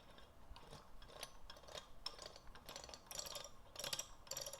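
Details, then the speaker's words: Oil pump for a rebuilt 1965 Nova wagon 283 V8, spun by hand after priming with break-in oil: wet gear whirr in uneven bursts, harder to turn, tone change as it pulls suction; primed oil pump turning normally. "now you can hear that the gears are coated with oil and they're creating suction and vacuum and pressure as they're as they're turning so and you can feel the difference"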